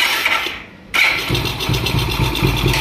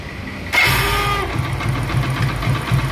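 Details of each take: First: Motorcycle (Hero Plus model): short clean crank, catches within a second and settles to even idle, no grinding or whirring from the self-start motor; normal starter engagement. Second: Hero Plus motorcycle, self-start pressed: engine starts fine but a harsh whirring grind accompanies starter engagement on about 90% of starts, then rough uneven firing; worn starter motor bearing.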